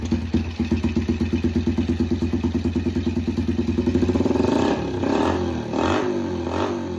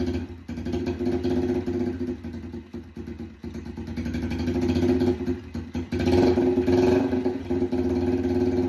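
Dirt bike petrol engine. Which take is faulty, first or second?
second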